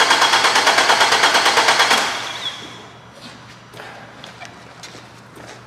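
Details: Nissan that had been sitting, cranked with cam and crank signals on a lab scope: starter cranks evenly about ten beats a second for two seconds, never fires; cam/crank correlation fault from a worn timing chain and non-functioning phaser.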